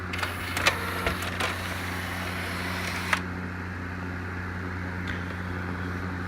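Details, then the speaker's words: Pioneer CLD-D503 LaserDisc player whose laser sled was stuck at the end of a dry rail; after greasing the rail with lithium grease, a quiet, even hum with light clicks as the sled moves freely without binding: normal sled operation. "use my finger and just lubed up the rail there and so far it seems to be working just fine"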